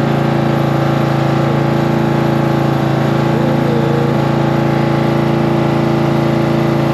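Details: Cub Cadet tractor small engine after battery reconnected and starting fluid in carburetor: even, steady thumping about four beats a second with constant drone; normal running.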